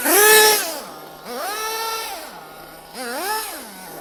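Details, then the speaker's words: Nitro RC car engine warming up on the floor, air filter not fitted: high clean buzz climbing sharply in pitch on each throttle blip, dropping back to steady idle; normal, crisp revving. "she's getting warm i can feel on the acceleration already she's getting warm"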